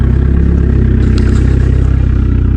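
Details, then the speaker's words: 1999 Dodge Neon with swapped 2.4 turbo SRT-4 engine, running after storage and rewiring: steady even low rumble with regular firing pulses, no knocks or misses; normal smooth idle. "But as you see, it runs, it purrs, it is back to a running car."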